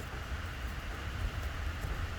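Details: 2011 Dodge Charger Pursuit 5.7 HEMI V8 at idle after fixing the cylinder 7 misfire (P037) by refitting the injector with its missing O-ring: deep even burble, no stumble or skipped beats; normal idle.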